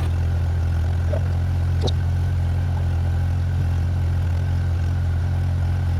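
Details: 1994 Honda GL1500 Goldwing Aspencade, first start in two and a half years after aftermarket fuel pump replacement, choke off: even, steady low hum with constant beat, only a stray background click; settled, healthy idle.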